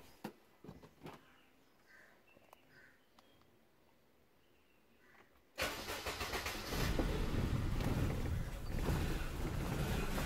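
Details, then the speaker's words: Suzuki Maruti Alto K10 with code U2001, LIN lost communication with generator: after a pause the engine starts, shaking badly, hissing and nearly stalling. "engine was started but badly shaking and hising extraordinary vibration sometimes can't keep it in idand engine stall hope you can heard that vibration and bad hising"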